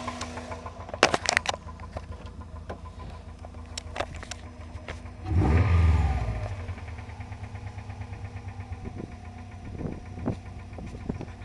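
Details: Subaru Liberty: handling clicks, then engine starts, flares and settles to idle with a repeating sharp knock about three per second; engine knocking.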